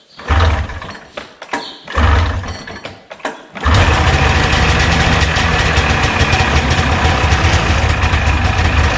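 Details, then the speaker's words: 1989 Arctic Cat Jag 440 two-stroke snowmobile, first startup after carb clean and needle fix for a fuel delivery problem: a few uneven pull-start bursts, then catches into a steady crisp run with no misfire; healthy. "sounds much better oh yeah oh yeah it works holy crap that's got some response guys check this"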